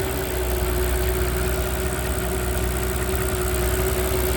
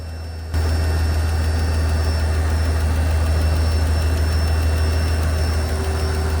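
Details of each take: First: Mercedes CL65 AMG twin-turbo M275 V12, warm idle after new plugs, coil pack and V-coil transformer fixed a misfire: smooth, quiet, steady hum with a faint accessory whine. The ticking heard at first start faded and was gone after a short warm-up. Normal idle. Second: Mercedes CL65 AMG twin-turbo M275 V12 at first start after new plugs, coil pack and moved voltage transformer: deep idle with light regular tick about three a second from the side just worked on, absent before; source unconfirmed.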